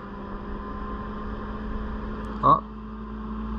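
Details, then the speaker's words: Autoterm Air 2D diesel heater in Peugeot Boxer L3H2 camper conversion, first run after rewiring: steady low hum, faint fan whir and one brief fuel-pump tick; heater running, air flowing, warm air follows. "okay so I don't know if you can hear that but the heating system is on I can hear it pumping or at least doing something but there's power to it which is fantastic sounds like it's cranking up there is air coming through"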